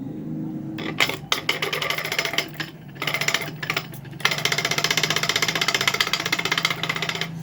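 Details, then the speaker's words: Ceiling fan running: fast, uneven rattling knocks about three per second with bursts and pauses, strong vibration, like something dropping inside; bearing wear or a worn/cut shaft possible, cause unconfirmed. "आवाज जा आता है कि जैसे की नीचे ऊपर से ऐसा नीचे गिर जाए ऐसा बहुत तेज से आवा जाता है वाइब्रेशन ज्यादा करता है"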